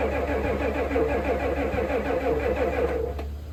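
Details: 1988 Ford F350 7.3 IDI diesel, sitting since the 1990s, cranked on starting fluid: starter churns at about three compressions a second, never catches, then winds down. Fuel is in the filter but none reaches the opened injector fitting.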